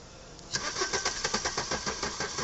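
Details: Maruti Suzuki Ertiga petrol engine with a no-start problem: the scanner shows no fault and the battery is drained from repeated cranking. After silence it starts with a direct-wired relay/ignition bypass, with a steady pulsing crank of about eight beats a second.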